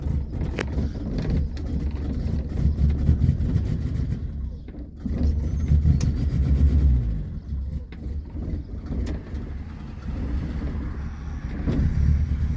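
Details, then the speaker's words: 1978 Honda Civic with manual choke, cold and not started for a while: the idle sags and surges, nearly dying before picking back up; it had just died and been restarted with a couple of throttle pumps. Cold engine stumbling. "Oh, it just died. Hang on. Like I said, it hasn't been started for a little while, so. Here, let's just give it a couple pumps."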